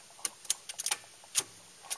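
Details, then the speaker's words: VW car with the starter attempted, power reaching the ignition: faint, sharp, irregular clicks with no cranking; owner suspects the starter motor isn't getting enough power, not confirmed. "So the hypothesis is that click is the starter motor, and it's just not getting enough power to it."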